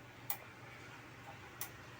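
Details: LG 42LH70YR 42-inch early edge-lit LCD TV, no power: power supply relay clicks twice about 1.3 s apart and keeps cycling; persists with backlight driver boards unplugged, traced via main board to a shorted capacitor on the T-con board.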